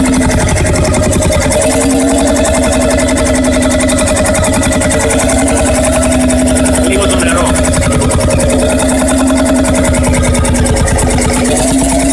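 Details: Freris-built Syros 1950-55 two-stroke 12 hp diesel, wick-started, restored 2014 after about 40 years idle: slow, even thumping with clean regular firing, no misses or knocks; running healthy.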